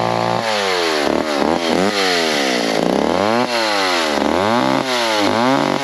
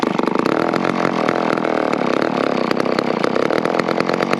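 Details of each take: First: McCulloch 10-10 / Pro Mac 55 chainsaw, old saws revived after years, cutting: revs rise and fall under cut with wavering uneven pitch; owner thinks it needs a little adjustment. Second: McCulloch 10-10 chainsaw, one of the 10-10s acquired in 2020, after cleaning dirt and gunk out of the recoil and priming: busy, crackling two-stroke buzz runs steadily without stumbling or dying out; runs and oils well.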